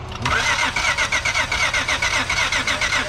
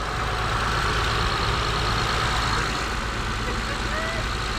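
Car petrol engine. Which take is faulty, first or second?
first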